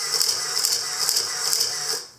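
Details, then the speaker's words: Olympus OM10 FC with motor winder at 1/1000 s, firing continuously at its maximum 2.5 frames/s: a fast, even whirr-clack repeating about two and a half times a second, then stopping cleanly, so the winder cycles normally. "that's as fast as it can go two and a half frames a second pretty cool"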